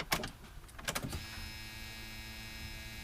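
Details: Subaru-engined go-kart, electric fuel pump dropped in a gas jug, weak battery plus jump box: a few clicks, then a steady even whine at one pitch; pump priming normally before start.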